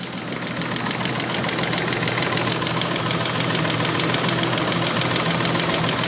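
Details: BMW M30B35 engine idling with fast, even ticking about three per second over rough idle; valve train knocking from excessive clearance on settled rocker arms, 0.30mm.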